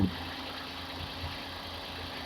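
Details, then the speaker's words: Hyundai Eon after replacing the radiator fan motor, on a cold start with the aircon on: an even idle hum with a smooth fan whoosh and no rattle or scrape. The fan motor works normally, cycling off and on again. "so as you can see the motor is working you can hear it as well the motor is working yep"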